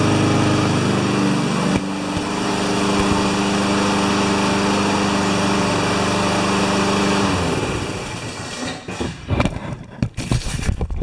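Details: Honda walk-behind mower with a choke that takes about 30 seconds to come off, running after a rusty rewind spring was refitted: runs steady and even on choke for about seven seconds, then dies away; sounds healthy.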